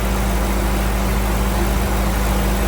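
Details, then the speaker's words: Crown Vic V8 in a C20 frame swap, warming up from cold after its vacuum leaks were found and plugged: steady, even low rumble with no stumble, miss or hunting; idles better than before. "Definitely idles a little better now that all the uh vacuum leaks have been figured out and plugged."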